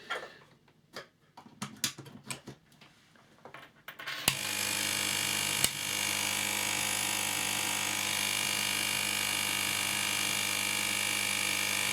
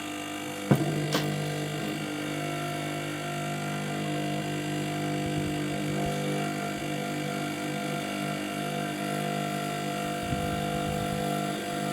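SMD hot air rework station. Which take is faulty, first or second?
second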